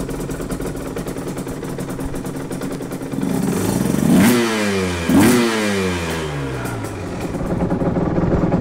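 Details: 2010 Aprilia RS 125 two-stroke with a VHSB34 carb replacing the Dell'Orto 28mm PHBH believed to be stock, set to 162 main jet, K57 needle on top clip, B36 pilot, air screw 2.5 turns out. Revs break up choppily, a stutter around 6,000–7,000 rpm, blamed on the stock needle running the midrange rich.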